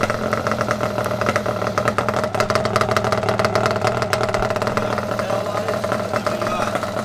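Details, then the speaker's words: Yamaha Banshee 350 two-stroke first running after rebuild (new clutch, water pump, resealed gearbox, new head domes), new radiator not yet fitted; raspy crisp buzz holding steady with quick blips, no knocks or rattles, healthy. "oh yeah she sounds good this is the first time this bike has been running"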